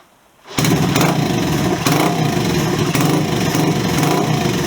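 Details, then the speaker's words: Honda CB125S with new Wemoto aftermarket exhaust fitted, idling: harsh, sharp, crackling bark far louder than stock, almost as if unbaffled; the exhaust is excessively loud. "I'll be honest, I don't like it, and I don't say that lightly. It's just too loud. It's almost like it's unbaffled. It's got a really sharp bark to it,"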